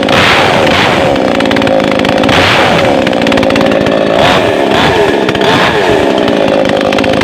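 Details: New Makita mini two-stroke chainsaw just unboxed and assembled, test-run without cutting wood after a choked start. A high buzzing note swings up and down with repeated throttle blips and picks up cleanly each time. Normal running.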